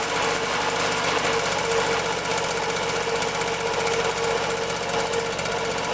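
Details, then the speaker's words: 1974 Honda Elsinore MR50 50cc two-stroke on fresh fuel mix after carburetor strip and air-leak testing at carb boot and flywheel; fast, ragged buzz that never settles and keeps wanting choke, rough running, cause unconfirmed. "Let's see if it starts up now. Wants to choke again."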